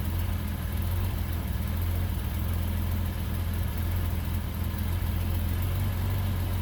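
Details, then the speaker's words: Bitter SC (SC 377), Bosch L-Jetronic, with the coolant temperature sensor plug pulled (infinite resistance) as a test. Steady but slightly uneven low idle with a lumpy beat: rough running. "now I'm gonna pull the plug again and I want to see if the car does or does not start with infinite resistance but it's running rough"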